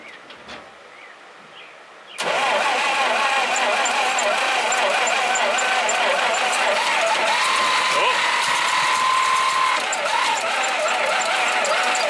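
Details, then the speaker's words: Dodge 1951 dually's small flathead six, first start in 32 years on a charged battery; it catches at once and settles into a steady, even idle with no misses or knocks, building oil pressure, sounding healthy despite an oil leak. "honestly she sounded healthy not inheritance intakes or anything like that did not sound bad at all guys"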